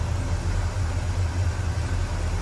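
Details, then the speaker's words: 1967 Pontiac LeMans 326 V8, automatic, new Edelbrock 4-barrel carb and exhaust, Edelbrock intake, hood open: warmed up at low idle, deep steady even rumble with no ticks or misses; normal idle. "All right, here's the underside of the hood, nice and tidy, warmed up, low idle. An idea how that sounds."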